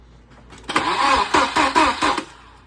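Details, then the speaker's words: Fully rebuilt Volvo B230 engine with MicroSquirt swap, running on MAP sensor: several quick cranking pulses catch into a firm, even run. Clean, healthy start. "Everything looks right. Everything sounds good. Go for a little bit longer this time so I can hear if all cylinders sound the same."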